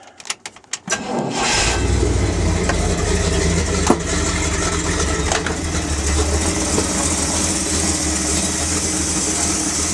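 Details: Dump truck, start of a rebuilt engine after reinstallation, during break-in; some air lines are not yet hooked up and the transmission was also replaced. Brief cranking catches quickly into a steady, even diesel idle with no knocks or misses; healthy start.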